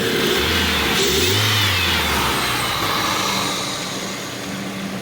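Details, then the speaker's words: 2002 Dodge Neon after replacing the leaking intake tube at the throttle body: revs up cleanly and returns to a steady idle with no hunting or surging; normal running after the repair. "let's start it up and see how she does all right guys that's working good"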